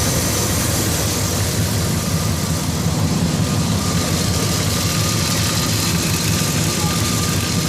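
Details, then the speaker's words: 1998 Dodge Ram 1500 after water pump replacement, first start: deep, even idle with a steady low rumble and no knocks, ticks or squeals, no coolant leaks; normal idle. "Here we go, look at that. She's purring like a cat. No leaks. No leaks."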